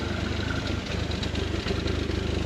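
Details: Car on lift with warning lights on, leaks from axle, differential and exhaust: uneven, lumpy idle with clattery pulsing beat from front to back and a knock; misfire heard, cause not diagnosed.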